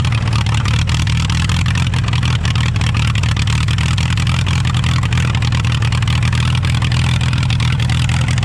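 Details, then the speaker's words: Allis-Chalmers WD tractor, rebuilt engine with eBay pistons, carburetor mixture screw 1.5 turns out: runs steadily with deep slightly uneven beat only with choke on; lean carburetor, to be pulled off again, timing believed right. "I'd probably kill it, dude. We're gonna have to pull the carburetor back off."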